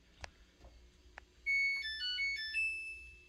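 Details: Samsung dryer switched on: a couple of faint soft clicks, possibly a relay, then a short bright rising melody of clean beeps; normal power-on chime.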